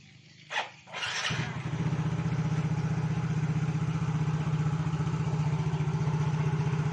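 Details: Yamaha motorbike after servicing for sputtering and lack of power, with a clogged injector and a part replaced; fuel pressure reads 40 psi. Brief crank, then a steady, even idle of about four beats a second, no sputtering: normal idle.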